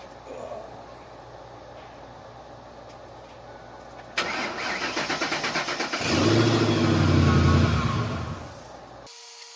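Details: Truck jump-started from a Snap-on EEJP200m booster pack at 96% charge, clamps run directly in engine start mode: brief starter crank, fires quickly, flares up and settles to steady idle; normal crank and start.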